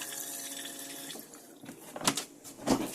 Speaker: and then further back your toilet with electric flush to use this simply press this blue button into a little flush